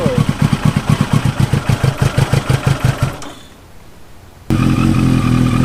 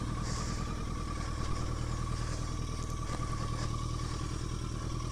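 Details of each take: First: 1983 Yamaha XJ650 Turbo motorcycle just reassembled after mechanical and cosmetic repairs and paint, started easily on a cold, wet day; steady pulsing idle and clean throttle blips rising and falling smoothly without stumbling; white vapor is condensation, not smoke; running normally, possibly best ever. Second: 1983 Yamaha XJ650 Turbo after reassembly and a month sitting, cold wet weather: uneven lumpy idle with loose clatter about 200 beats a minute; possibly running on three cylinders, unsure, later low power riding.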